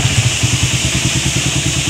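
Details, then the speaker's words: Raider R150 motorcycle idling after its engine rattle (lagitik/kalansing) was fixed with a small, inexpensive repair: steady, quick, even exhaust beat with no knocks or rattles, engine sounds healthy. "oh naandar naman eh ayos na ang motor ng troba"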